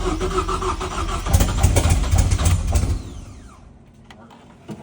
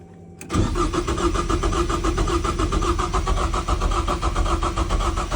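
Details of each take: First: 2.3L Ford EcoBoost swapped into a BMW E36 rally/drift car, first start with fuel pump relay rewired and large vacuum leaks: cranks, catches with a deep rumble, then fades and dies. It fires but won't stay running. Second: BMW E36 with a swapped 2.3L Ford EcoBoost engine of unknown condition, on first start with vacuum leaks and half-finished wiring; it catches after brief cranking, settles into an even idle, then a short rev blip; normal start and idle.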